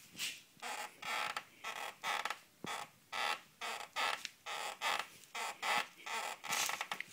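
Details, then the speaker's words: Shrockworks rock slider rubbing the plastic wheel-well fender liner as the vehicle flexes or is stepped on: repeated squeaky creaks about once a second. Later fixed by melting away the contacting plastic with a heat gun. "so that's the sound that i hear all the time when the vehicle is flexing"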